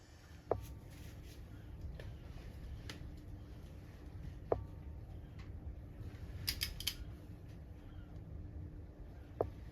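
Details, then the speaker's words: Sunbeam Alpine cylinder head bolt number two, backed off one flat and retorqued with a homemade RG225-style tool: torque wrench clicks off at 45 ft-lb, three sharp single clicks; the bolt turned slightly further clockwise. "right now that's clicking off there at 45 ftlb and you can see that it's turned a little bit more to the right on the same torque setting"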